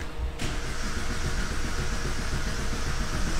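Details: 2005 Vauxhall Combo B van, crank no start: steady starter cranking with uneven churn, never fires; camshaft position sensor code present, fuel pump active, immobiliser not kicking in.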